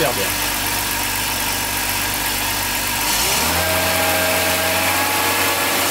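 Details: BMW 325ti inline-six: petrol engine ticking over evenly, then a smooth steady step up in revs, no misfire or knock, normal idle.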